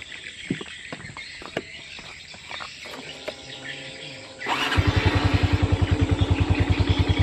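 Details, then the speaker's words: Honda Revo FI motorcycle lacking power on climbs, with non-original bearings: after start-up, a steady double tick about three or four a second over idle; source unconfirmed, owner suspects bearing or clutch plates, possibly piston. "Nah, itu ada suara bunyi tek tek tek. Entah itu suara dari buringnya atau dari kampas gandanya saya masih kurang paham. E karena suaranya dobel."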